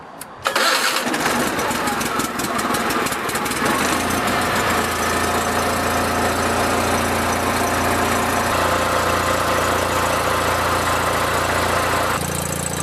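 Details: Toro Wheel Horse 416H lawn tractor with opposed-twin Onan engine: cranks briefly, catches on choke and settles into steady even twin-cylinder idle, no misses or knocks; normal cold start.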